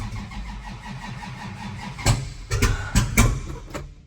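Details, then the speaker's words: 1963 Dodge 330 with 426 Max Wedge V8 and twin carbs, first start after a Pertronix electronic ignition swap replacing the dual points, cold with no carb preheat. It catches and settles into an uneven, lumpy idle with irregular blips; owner suspects late timing. "kind of sounds like late timing"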